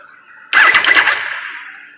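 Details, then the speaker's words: Triumph Daytona 955i with a no-run problem, wiring harness suspected of past splices: at key-on a high buzzing whir fading over about 1.5 s; normal fuel pump priming, pump confirmed working when jumped direct from battery. "So let's see what we got. Okay. You can hear the fuel pump priming."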